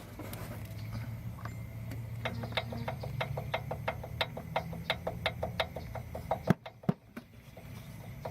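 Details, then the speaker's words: Subaru WRX turbo, downpipe removed, car jacked up: quiet sharp clicks about three a second as the shaft is rocked by hand; decent front-to-back shaft play and a little side-to-side, suspected blown turbo. "Yeah, so as you can hear, it has I guess a decent amount of front to back shaft play, and there's a little bit left to right."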